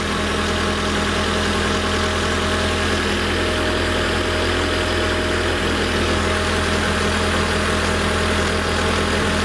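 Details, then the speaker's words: Renault Twingo idle after the throttle body was removed and an idle relearn was done (ignition on, off, on, then start): steady, even low drone, slightly high but stable; one small misfire noted, no fuel smell, normal idle. "oh j'y crois pas là c'est un ralanti correct là"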